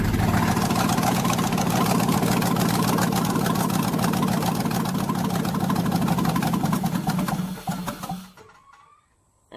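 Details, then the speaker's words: 1992 Chevrolet Silverado with swapped 5.3 L V8, first start on squirted gas with headers not bolted up: loud raw cackle, uneven beats about 214 per minute, then it dies out of fuel. Rough running. "Alright, so it sounded pretty rough because obviously you can see I ain't got the headers bolted up or nothing."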